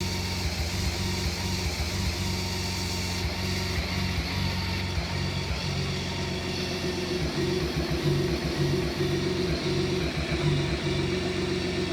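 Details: BMW K1600B motorcycle rough idle with no diagnostic codes: uneven, choppy low pulse instead of a smooth hum; happens only at idle or in first gear near top of clutch engagement; owner suspects fuel, exhaust or plugs; fuel treatment, TPS reset, air filter didn't help.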